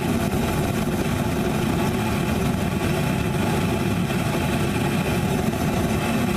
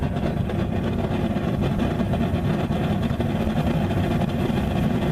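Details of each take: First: Homemade Frosty T burner with a big bell, regulator wide open at full pressure, air intake partly restricted: a deep, even roar with no pulsing or sputter throughout. The burner is stable and very hot from 2–3 ft away. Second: Homemade Frosty T burner, test four with a short nipple and big bell, gas pressure cranked to full: a deep, uneven woofing roar with no steady note. The flame is unstable with full air and much better with half the air intake covered.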